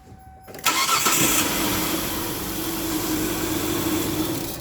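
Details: Kia with codes P0301, P0303, P0305, cold start with brake cleaner sprayed into intake and air filter to test for fuel problem: catches and settles into a ragged, stumbling idle; misfiring, cause unconfirmed.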